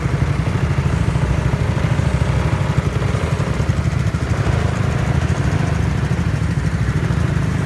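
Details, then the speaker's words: Honda Zoomer-X small single-cylinder scooter after replacing fuel filter and fuel pump motor to fix hard starting and stalling: low, even idle putter, no stumbling or dying; normal idle. "สิ่งที่เราทำกับรถคันนี้คือเราเปลี่ยน2อย่างนะครับเพื่อนๆเปลี่ยนกรองน้ำมันเชื้อเพลิงกรองน้ำมันเบนซินนี่แหละครับแล้วก็เปลี่ยนเจ้าตัวมอเตอร์ปั๊มเพียงเท่านี้ก็เสร็จสิ้นกระบวนการแก้ไขปัญหาสตาร์ทติดยากสตาร์ทติดแล้วชอบดับเองนะครับ"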